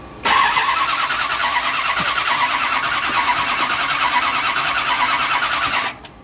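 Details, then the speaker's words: Drag-racing Mopar Dart with new 727 transmission, cranked after checking rotation with plugs out, engine still seeming draggy; starter turns it steadily five seconds with no catch or firing, will not start. "and give it a little bit of juice but it didn't even act like it wanted to kick [Music] okay just one more [Laughter] oh this thing just does not want to start"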